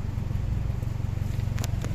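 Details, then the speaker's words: 2012 Hyundai Accent automatic, after loosening the exhaust joint: it starts on one click and settles into a low, steady idle with an even pulse and no misses. Good idle after relieving the suspected exhaust restriction. "One click siya. Good idling. Good idle. Ayun. Good idling, oh."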